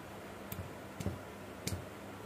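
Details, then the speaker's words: Chainsaw engine with piston and crank rocked by hand: light metallic ticks, showing slight play and minor wear, judged still usable; inspection focuses on damage from too much or too little oil. "Nah, masih ada ting centing ya. Tapi kalau suaranya sudah mulai tak tak tak, ya. Kalau ini masih ya sudah sedikit agak rusak, tapi masih layak pakai."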